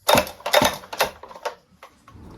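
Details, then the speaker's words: Stihl MS 261 C-M chainsaw with customer-reported noise on starting, starter pulled to simulate the noise: sharp, tinny, hollow clatter in quick bursts of loose metal rattling. "vielleicht konnte man ja schon hören das ist in sich alles ein bisschen Hoh"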